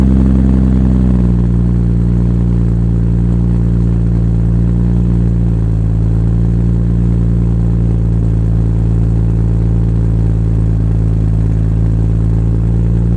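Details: Toyota Supra build, first start after three years of building: fires and settles within a second into a deep steady even idle with no stumble; healthy, apart from a minor exhaust leak at an oversized mid-pipe-to-catback V-band clamp.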